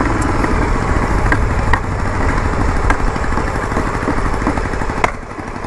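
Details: Yamaha Virago XV920 café racer V-twin. Loud, lumpy idle with uneven beats, sharp pops and a clicking noise: rough running and heavy backfiring. Owner suspects the carbs need syncing.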